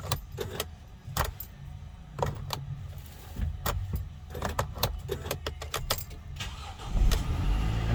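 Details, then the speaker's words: Early Mercedes Sprinter (2007–2018 range), intermittent no-start: sharp clicks with each key turn and no crank for several tries, then the engine catches; the electronic steering lock (ESL) sometimes doesn't release. "so this is a problem with the ESL and I'll show you that now you see how I don't know if you can hear that noise but that noise means that sometimes the staring lock doesn't release"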